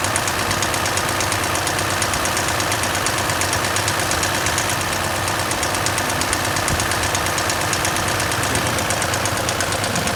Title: Abnormal noise from Valve lashes